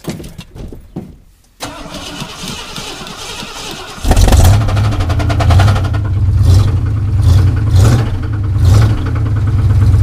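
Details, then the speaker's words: Ford Bronco V8 cranks and idles with a deep, uneven rhythmic knock that varies with oil pressure and oil temperature; the owner doubts a loose flex plate is the cause. "well you can obviously hear that there is a problem now the problem fluctuates with oil pressure and oil temperature so I'm pretty sure it's not uh flex plate"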